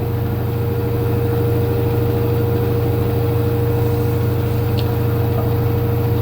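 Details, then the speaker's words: LG F-1220TD washing machine after drum bearing, seal and spider replacement, spin at 800 rpm: steady, even low hum, smooth tone, no rumble or grinding; normal spin, feet still need levelling. "і так включився режим віджиму 800 оборотів ще треба буде відрегулювати ножки і так машинка розвиває 800 оборотів працює вона в стандартному"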